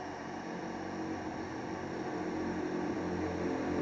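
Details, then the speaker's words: A charger connected to the dead battery of a Suoer LDA-1000C inverter gives a steady, even electrical hum with a faint fizz, with no buzzing or cutting out; normal charging hum. "So I connected the my charger to the battery, and as you can hear it, it is charging the battery."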